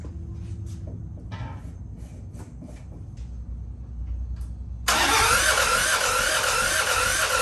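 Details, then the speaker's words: Freshly rebuilt John Deere 650 4x4 tractor diesel on first start, fuel system being bled to get fuel to the injectors: uneven cranking and sputtering, then a loud rough rattle as it catches before stalling; hard starting with air in the fuel. "it's how you get diesel started when it runs out of fuel or when you're building for the first time"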